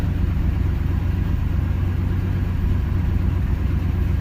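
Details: 305 H.O. small-block Chevy warm idle after restarting following an hour's sit, accelerator pump squirt confirmed: low steady even rumble, no stumble, miss or knock; idles smoothly.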